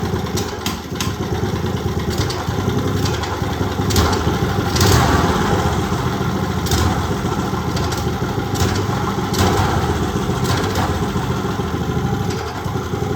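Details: Old Briggs & Stratton single off a go-kart that sat outside 8+ years, carburetor mixture screw set about 1.25 turns out, uneven lumpy idle with ragged bursts, reluctant to come off idle, then strong once it does.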